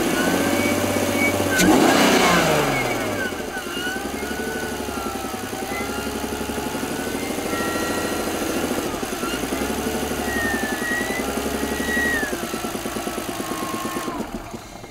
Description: However, the knocking that you can really hear after revving the engine eludes me. Could it be a piston or rod knock?